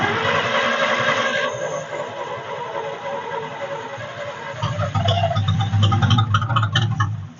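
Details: 1946 International truck abandoned about 50 years, brief run with no radiator fitted: the old engine rumbles steadily with an even beat, no clatters, clanks or rod knock, running very smoothly; normal idle.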